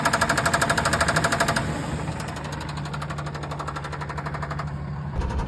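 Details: 2003 Ford F-150 single-cab 4.2 V6 on a drive: steady metallic knocking about three per second that follows engine speed, a rod knock; the engine still made spec oil pressure, and the knock was fixed by swapping in a good running engine.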